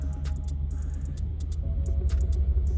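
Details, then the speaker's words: 2003 Honda Pilot with P0505 code, after cleaning idle air control valve and disconnecting battery: low uneven rumbling idle with wavering pulse while warming up; rough idle during idle relearn. "basically any current draw it will affect the learning so you might just like i'm gonna do just like yeah the idol is pretty rough"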